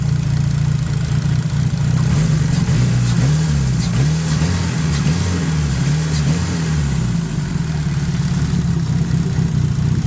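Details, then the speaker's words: Daily-driven drag Neon engine after sanding/polishing a knocking rod bearing; previously knocked prominently by about 2,000 rpm. Clean throttle blips rising and falling smoothly, no knock through the revs; repair seems to have worked. "knocking out here either."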